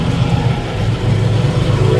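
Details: 1990 Jeep YJ 4.2L 5-speed, key in run after pumping the accelerator: steady, even low rumble with no misses, knocks or surging, idling smoothly on its own.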